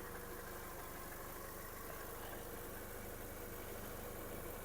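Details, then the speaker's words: 2005/2006 VW Golf Plus, 1.6 MPI BSE petrol, 75 kW/102 hp, Aisin automatic, 178k km: engine idles quietly and evenly with a steady low hum, no misfire, smoke or knocks; normal idle. "Мотор працює тихо, рівно, не димить, не троїть, не сапунить."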